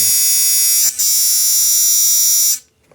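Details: Sonicare DiamondClean that vibrated poorly or not at all, after pushing the internal plastic piece down to fix a poor contact: a strong, even high buzz holds over two seconds at full power, then cuts off cleanly. It is now working.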